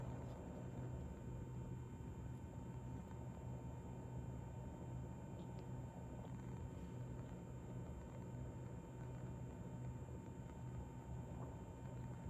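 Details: Corsair iCUE H115i ELITE CAPELLIX AIO cooler pump at a steady 2270 rpm, phone held close: quiet steady buzz over a low even hum, no surging or rattles; pump running normally at constant speed.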